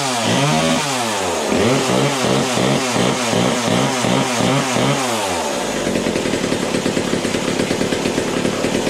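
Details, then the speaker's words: Vintage McCulloch top-handle two-stroke chainsaw (about 37 cc), new old-stock bar and chain: revs hard then settles to buzzy uneven idle with chain still spinning at low idle; owner suspects worn clutch springs. "we're gonna fine tune this i think the clutch springs may be gone turn the idle way down the chain was still spinning"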